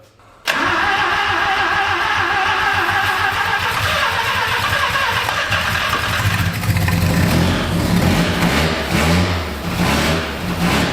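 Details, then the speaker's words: 1974 Mazda Rotary Pickup with new Holley carb after replacing O-rings and needle and seats, first start: catches then runs ragged and uneven as it revs; owner suspects insufficient accelerator pump shot. Stumble after start. "all right so it runs I think we have uh an issue with the accelerator pump I don't think we have quite enough accelerator pump shot on it right now"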